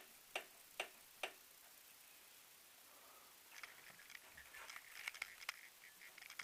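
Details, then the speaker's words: Honda CR-V III, rear right strut area with the arch trim removed: sharp, light metallic clicks in short groups as the body is rocked by hand, also heard from under the car; the noise appeared recently and its cause is unknown. "Достал неизвестно откуда появившийся звук. Сейчас буду стараться показать его. Щелчки идут."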